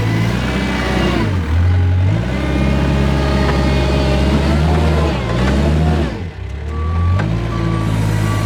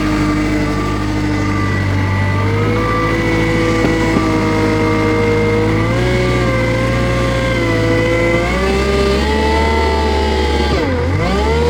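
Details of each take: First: Kubota R520 hydrostatic wheel loader pushing into a pile in reverse: diesel loads up and drones heavily with reverse alarm beeping, machine barely moves; reverse drive weak, suspected hitting relief in the reverse circuit, forward climbs fine. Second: Kubota 520 hydrostatic wheel loader that wouldn't reverse up steep hills, after forward and reverse relief valves were swapped: diesel pulls steadily under load with pitch rising and easing, no chatter or squeal; forward now hits relief, a test of whether the relief valve is at fault.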